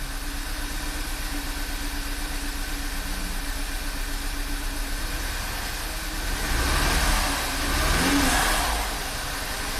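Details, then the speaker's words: Direct-injected VW turbo GDI petrol engine after high-pressure fuel pump replacement and oil change (gasoline was in the crankcase): uneven loping idle with a brief surge; misfire counters show cylinders 2 and 1, codes P0301/P0302. "Well, it started. Ooh, a little shaky there. Well, we fixed one problem. Now we gotta figure out why it's misbehaving."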